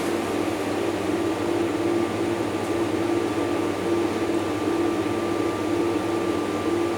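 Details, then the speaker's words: Refrigerated chiller trailer, about 10 years old, not cooling: on power-up the three evaporator fans run with a steady roar and a thin intermittent squeak from one dry evaporator fan motor. "So anyway, okay, powered it on, evaporator fans come on, 3 evaporator fans up there. One of them sounds a little bit squeaky."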